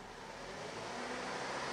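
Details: Holden Captiva 7, 2013, 2.4 L petrol, being checked for camshaft solenoid codes P0010/P0013: engine revs up gently and evenly with no knocks or misfires; intake and exhaust cam positions match desired, healthy.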